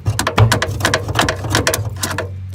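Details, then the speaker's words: 1965 Chevrolet C10 with swapped '67 Camaro SS 350 quad-jet V8, unrun 28 years, new battery, cranking attempt: rapid uneven clicking over low hum, no cranking rhythm; starter clicking without cranking. Owners will probably remove starter. "Go ahead. All right, stop. That didn't work."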